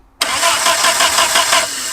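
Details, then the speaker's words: Abandoned 1950s-60s Willys Jeep truck at first drive attempt with a little choke: steady rhythmic cranking pulses for about a second and a half, never firing; points contact good but no spark, coil believed burned up by leaving the wire on 20 minutes. "No spark. That's weird. Because the coil Yeah, the coil still acts hot. Oh, I left the wire on while we did the tires. I think I burned the coil up."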